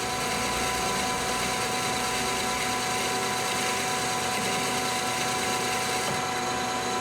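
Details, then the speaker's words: Lathe longitudinal cut on annealed 4140 CrMo steel at low spindle speed and very low feed: a harsh, ragged hiss with no clean tone, the tool scooping and tearing the material. Poor, torn cut with a terrible finish. "so you can hear it sounds like it's scooping material it sounds terrible it does not sound like it's going to be a clean cut"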